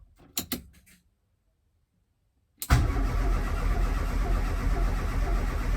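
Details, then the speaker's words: Ford Escort RS Turbo, unstarted since 1996, first start attempt, HT lead reconnected, fuel gauge reading nothing: a few clicks, a pause, then steady cranking about four turns a second that never catches, no fuel pump priming heard; cause unconfirmed. "i mean i don't even know how much fuel is in it it's that low it's registering nothing i can't hear the fuel pump priming either"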